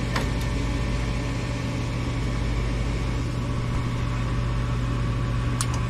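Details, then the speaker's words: Furnace blower motor runs with a steady low hum and a slightly rough undertone. Its capacitor dates from 2018 and is suspected worn out; the motor is failing and is being replaced. "And there we hear the hum of the uh motor, but it just does have little sound to it though, too."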